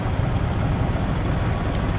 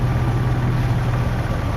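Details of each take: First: Jeep ZJ 4.0L inline-six after oil filter adapter leak repair: steady low rumble with even beat, no knocks or ticks; idling smoothly and healthy. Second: Jeep 4.0L inline-six (ZJ) idling just after cold start, after an oil filter adapter repair: a steady low hum with faint quick tapping, the known 4.0 tick, heard on startup and warm-up, barely audible when warm.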